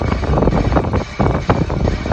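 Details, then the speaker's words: 2012 Chrysler Town & Country Limited minivan, rolling on the accelerator without braking: rough, gritty grinding in uneven surges from the front wheels, partly masked by wind. The front rotors were found scored and very hot. Front brake grinding, scored rotors. "the owner has stated that there is some sounds coming from the front wheels, grinding sounds, and I'm going to play the video for you right now."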